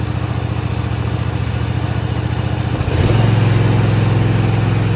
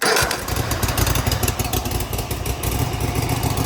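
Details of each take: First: Cub Cadet ZT1 zero-turn mower, first start on choke after replacing the throttle cable and lever: the engine steps up to a steady low-pitched run but never reaches full speed. The throttle cable needs adjusting. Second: Cub Cadet ZT1 zero-turn mower with a new throttle cable and lever, after readjustment and a battery recharge, started on choke: it catches quickly and settles into an even, low, steady idle with no misses. Correct low idle.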